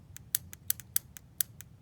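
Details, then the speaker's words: Honda Odyssey shift solenoid, removed over P0740/TCS hard 1st-2nd shifting, resistance within 12-25 ohm spec, tapped on a small 12V battery on the bench: sharp light uneven clicks, about four per second. Plunger only partly engaging, a weak solenoid. Replacement fixed the problem. "I'm not sure if that's a full enough range. Doesn't sound like it may be a complete range. may only be partially engaging."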